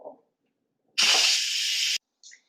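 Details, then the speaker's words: Instant Pot quick release after 8 minutes of high-pressure cooking, valve turned from sealing to venting: sudden loud steady hiss of hot steam; normal pressure release, which took about three minutes in total. "now there's going to be a lot of pressure in this pot so a lot of steam is going to come out and it is hot steam so make sure that you're careful"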